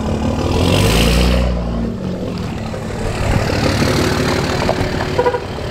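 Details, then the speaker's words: Cummins diesel truck with straight-piped exhaust, no muffler: brief rev then a loud, deep, throaty idle; runs clean. "I mean, if you have a Cummins, you gotta have a straight pipe on it. Sounds awesome."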